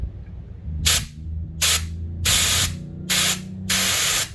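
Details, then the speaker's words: Refilling a 1 lb propane bottle by adapter from a larger tank: five short sharp hisses about a second apart as the valve is pushed with a hex key, purging air because the bottle wasn't filling. "you have to purge the air to these things so what i do is take a straight edge or straight like this is a hex key take it"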